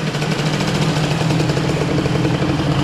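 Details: Moped with an Airsal XT77 kit and new big expansion box exhaust, first test; fast, buzzy two-stroke tickover holding a steady high pitch without settling: high idle speed, needs lowering.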